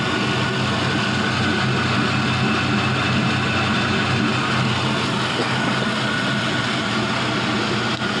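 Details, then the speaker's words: 5.3L Gen 3 LM7 V8 with 180k miles, idling at about 700 rpm while the coolant warms up, oil pressure just above 40 psi: smooth, even idle with no stumble, hiss or miss; normal. "Everything seems to be going super good here. About 700 RPM on the idle. Coolant temp is warming up nicely."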